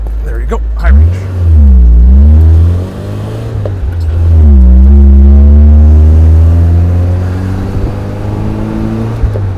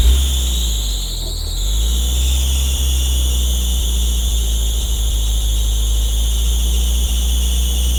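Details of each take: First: Off-road vehicle test drive after new clutch fitted, foot to the floor: engine pulls hard and climbs steadily in pitch with no slip or shudder, brief tire squeak from the ratcheting locker; clutch engaging cleanly. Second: Off-road vehicle idling with a steady high-pitched squeal over it; it sounds like a belt squeak, but the owner is fairly sure it comes from the clutch, which is being replaced.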